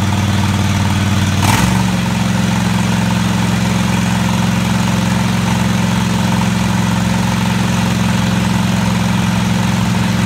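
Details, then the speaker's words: Craftsman DGT 6000 twin-cylinder engine after reassembly (new fuel line, fuel pump mounted), first run: brief rev then smooth, steady idle with even low thrum — normal idle. "alright took a little while but it finally fire it up"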